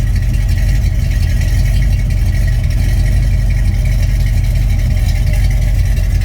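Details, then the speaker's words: Freshly rebuilt Mopar 360 V8 (8.7:1, Summit 1789 cam .454 lift 272 duration, Edelbrock Performer, Quick Fuel 750 carb, Summit headers and 3-inch mufflers), idling 657 rpm at 61 degrees with 70 psi oil: deep, even burble, mild lope, no ticks or knocks; normal idle. "So it's not a real radical cam, but it still sounds pretty darn good,"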